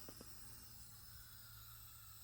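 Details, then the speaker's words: 1979 Lincoln Mark V V8 idling evenly, no dieseling, with steady airy hiss from a bad vacuum leak, likely a cracked small plastic vacuum line; power steering also needs work. "idle's alright doesn't diesel you can hear that hissing from some bad vacuum"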